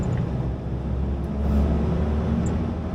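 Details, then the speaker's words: Jeep Wrangler YJ 2.5L with replacement engine, driving in second gear: smooth steady drone pulling evenly, no knock or miss; sounds healthy and stronger than before, though the muffler rattles a little and it still smokes. "no feels like a new Jeep mark it does it it's never sounded like this"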